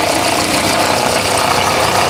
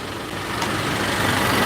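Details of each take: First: 2017 Honda Accord at idle: dense, busy ratcheting clatter from a faulty alternator decoupler pulley clutch, intermittent, before replacing the pulley. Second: 2017 Honda Accord after replacing rattling alternator decoupler pulley clutch: steady, even idle hum with no rattle or chirp riding on it; normal idle, noise gone.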